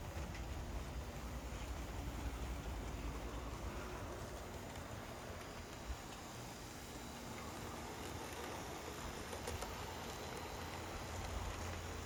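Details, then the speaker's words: HO scale model locomotive pulling freight cars: soft, even rail rumble with steady clickety rhythm; smooth, healthy runner, a little slow. "Smooth, beautiful runner, even with the freight cars. Again, a little bit slow, but these weren't super fast in real life."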